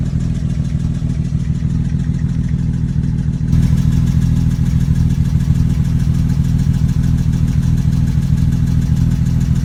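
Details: BMW 335i N54 at idle: a deep, uneven, stumbling rumble instead of a smooth six-cylinder hum. OBD2 reports misfires on cylinders 1 and 2, starting right after downpipes were fitted. Owner suspects coils, plugs or injectors, hoping plugs. Misfire.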